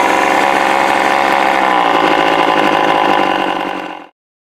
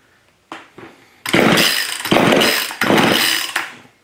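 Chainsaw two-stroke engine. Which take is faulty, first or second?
second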